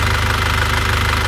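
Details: After repair of a 2001 Isuzu Panther diesel: pistons and rings replaced, liners reconditioned, engine warm at 82°. Even, steady idle with typical diesel clatter and no misses. Blow-by is gone and there is no compression leakage; the engine sounds healthy.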